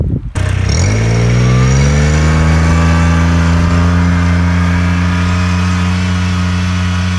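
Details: Kubota RTV900 diesel utility vehicle, final hill run after hydrostatic transmission repair; weak drive blamed on 10 years unchanged filters, possibly low oil from leaks wearing pumps. Deep even diesel drone holding pitch uphill, no surging, slipping or grinding; normal hydrostatic drive under load.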